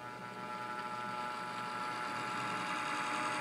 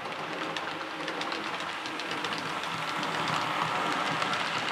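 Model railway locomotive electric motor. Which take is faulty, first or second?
first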